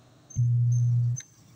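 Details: JMS amplified speaker with hum only and no sound ("ugong lang, walang sounds"): steady low hum under a second, no program audio; owner thought capacitor.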